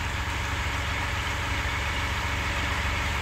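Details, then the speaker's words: Chevrolet Captiva diesel (FL C140) idling after total cleaning and injector service, hard rhythmic knock over diesel clatter, roughly a hundred a minute; knocking traced to faulty valves in injectors 3 and 4, still usable for daily city driving. "Nah itu suara knocking yang kita dengar itu adalah masalah di injektor nomor 3 dan nomor 4"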